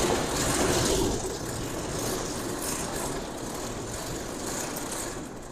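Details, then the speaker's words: Abandoned Farmall 560 tractor, old straight-six: steady, even low idle with a soft uniform patter, no knocks or misses; runs smoothly. "Guys, that thing runs good. There's something about the way an old straight sex runs."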